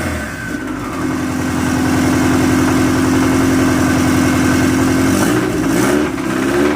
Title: 10psi rod knock